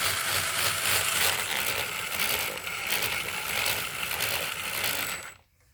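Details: Brand-new, out-of-the-box FTX Kanyon RC truck driven on first run: dry scratchy grinding with uneven chatter from both differentials, louder at the front; cause unknown.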